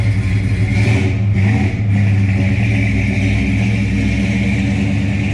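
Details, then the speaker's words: 1969 Dodge Coronet 500, numbers-matching 383 V8 with 4-speed manual, idling outside. Mostly stock engine with a bigger cam gives a deep, steady idle with a rhythmic lope; even and strong with no misses or knocks. Healthy V8. "okay here we are outside you can hear it it's got a nice cam in it it's a pretty stock motor other than it just has a bigger cam"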